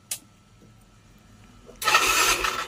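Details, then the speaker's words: Yamaha Mio M3 scooter, dead for one year, after injector and fuel filter replacement: a click, then the starter spins and the engine catches and fires up. Normal start. "Ayan na siya mga idol. Naandar na siya."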